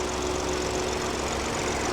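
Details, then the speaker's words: Salvage BMW 218 convertible, first start, engine light on, possible misfire from a missing part; even smooth petrol idle with a steady faint hum, no knocks or ticks, judged not knackered; normal idle. "I'm going to say that's all right. Yeah. That's definitely not knackered, is it? Not sounding like that."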